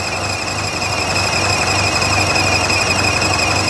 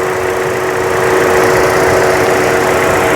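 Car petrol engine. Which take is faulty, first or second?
first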